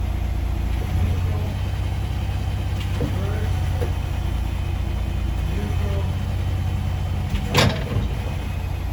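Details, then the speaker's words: 2017 Ford Raptor idling in park while shifted reverse, neutral and drive. A sharp single clunk comes on each gear engagement, indicating driveline lash; the rear differential is suspected, not confirmed. "So, I'm going to go start the truck. It's going to be in park. Then, we're going to go to reverse, neutral, drive, neutral, reverse, neutral, drive. And you'll be able to see all the clunk."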